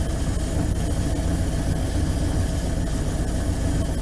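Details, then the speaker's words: Old campervan started after sitting all winter with battery reconnected: low, uneven, lumpy rumble at idle with an unsteady beat; it runs but not smoothly, with odd sounds on startup. Rough idle, cause not yet clear. "But it definitely doesn't seem to be running top notch, you know. It does run."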